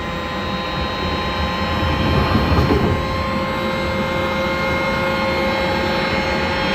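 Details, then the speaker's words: 2016 FLEX Lane Machine vacuum motor after cleaning and brush repair; steady, smooth high whine with even air rush, no rubbing or scraping: healthy. "let's check our uh vacuum motor since we had that all apart and clean sounds good"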